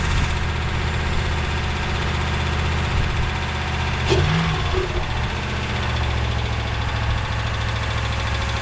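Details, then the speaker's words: 2017 Ram 1500 Hemi V8 parts truck with 143k, listed as non-running, idling with a quick light tick keeping pace with engine speed; suspected exhaust manifold leak, possibly a lifter at worst; manifold gaskets ordered. "all these hems have exhaust manifold leaks and this thing has 143 on it is it an exhaust manifold leak two could it be a lifter that's worst case scenario"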